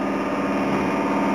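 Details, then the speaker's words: HobbyKing Sukhoi Su-26 50cc model, Hobby King 15298 high-voltage digital coreless rudder servo on Orange R910 receiver: after full deflection and release, steady fast buzzing chatter that never settles, servo oscillating around its position until another control movement stabilizes it. "the other problem we've got appears to be the rudder Servo and you're gonna need to watch this one pretty carefully I'm going to go to full deflection and release and can you now see that oscillation"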